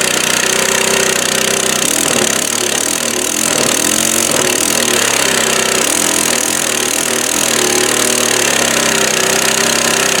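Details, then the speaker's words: 22-inch Craftsman mulching mower, 6.25 hp, about 1998, running: rough with sharp ragged crackle and irregular pops over a tinny, hollow clatter; caused by a twisted-off upper exhaust bolt, and the carburetor won't stay on. "The other motor is definitely good, but all the popping and cracking you hear going on is where somebody twisted off the exhaust bolt, the upper one, and twisted it off inside there."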